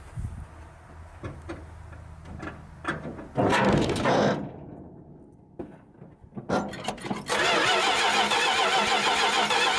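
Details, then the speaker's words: 1973 Dodge D100 V8, first start attempt in 10 years with fresh battery and fuel hooked up; starter cranks steadily but it never fires; carburetor float suspected stuck closed. "we may have to go get our Teeter bottle there float might be stuck closed on it"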